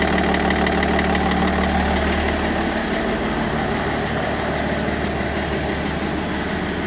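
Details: BMW 530d E60, M57N diesel, at idle: dull, fairly even knock about three times a second over the diesel clatter; engine knocking, cause not yet identified.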